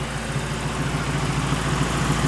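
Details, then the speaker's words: Truck converted to run on wood gas from a homemade gasifier with three radiators, idling in neutral: steady low idle with a smooth, even throb, no stumbles or surging; running great on wood, normal idle. "All right, folks, that's awesome. That's a truck right now running on the power of wood, and it's running great."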